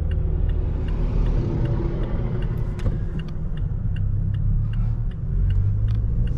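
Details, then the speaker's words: 2023 Toyota Tacoma SR 4x4 four-cylinder, about 1,801 miles, at idle at night: steady low rumble with light even ticking on top, smooth normal-sounding engine, normal idle. "this is just to give you an idea of what the uh motor sounds like also giving a peek at the uh instrument panel when it's dark"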